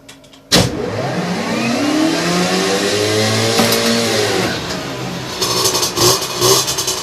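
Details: Two-stroke with 17.5 mm carburettor on bench fitted with oversized main jet: catches and revs with muffled, burbling note that never cleans up at top; running too rich.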